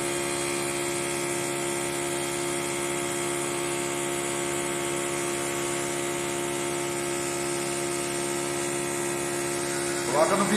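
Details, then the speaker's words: Mibex 12,000 BTU window air conditioner running with a loud steady droning hum, several fixed tones and a faint rough flutter; unit is very dirty, and the dirt is suspected of causing the noise and hurting performance, cause not yet found. "olha o barulho que ele tá fazendo com certeza tá sujo tá afetando o rendimento dele"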